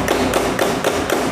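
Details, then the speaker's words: Honda Beat carburettor scooter that won't start on the electric starter: rapid, regular clicks about four a second with no cranking; starter clicking, no crank. "motor Beat karbu ini mempunyai masalah masalahnya yaitu dimana ketika kita starter berbunyi ketik ketik ketik"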